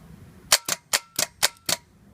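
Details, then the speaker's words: 2010 Toyota Sequoia starter removed, bench test: six sharp evenly spaced clicks about four a second with no motor spin; solenoid clicks but doesn't engage the working motor, bad solenoid, whole starter replaced. "okay so it's a bad solenoid starter motor works still annoyed does not engage the starter motor"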